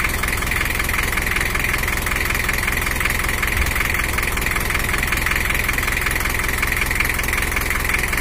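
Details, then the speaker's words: Toyota HiAce LH11 1984 diesel (2L, 2,200 cc) after repair for overheating and coolant overflow, set back to standard settings: even, steady idle clatter with no misses, knocks or surges; normal idle. "HiAce sekarang sudah normal, berada pada pengaturan standar HiAce , dan suaranya normal, kurang lebih seperti ini."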